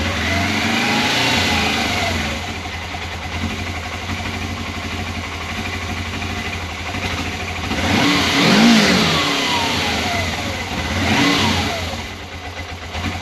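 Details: 1989 Suzuki GS500E twin with new plugs and air filter, started cold at about -5°C, choke just off and warming up: revs cleanly in two blips and drops back with no misfire; running on both cylinders.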